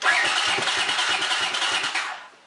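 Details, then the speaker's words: Honda CX500 twin after plug cleaning, no coolant or radiator fitted: starter cranks at an even quick beat without firing, soft compression pulses; owner suspects no fuel or lost compression from sticky valves. "Well, seems like it's not getting gas or something."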